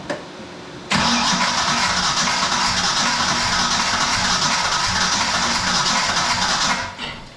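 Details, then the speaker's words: Project car "Brutus", sitting about 11 years: starter churns steadily at three to four turns a second for six seconds without catching; cranks, no start, possible distributor phasing problem as the intake manifold limits distributor rotation, unconfirmed. "Almost like we got something not hooked up or something, you know? There might be a phasing issue of the distributor because with this intake manifold, I can't turn the distributor all the way over"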